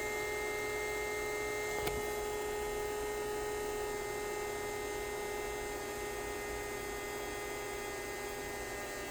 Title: Creality ender 3 v3 ke print head makes loud noise